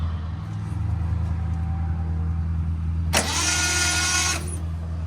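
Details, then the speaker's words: 1972 Datsun 240Z L24 engine cranked on a lawnmower battery with spark plugs removed: fast, even starter whirr that never fires; no spark found, crank no start. "No spark. Okay. I was concerned at first that it was spinning so fast, but I just pulled all the spark plugs out, so obviously."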